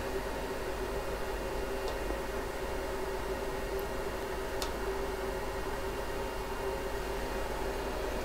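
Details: Riden RD6012 switch-mode 800W supply after a fix for earlier failure, 60 V out, load stepping 120 W to 240 W toward 720 W, heatsink starting 26 °C: steady even fan rush, faint constant hum, no whine or surging; cooling normal under load.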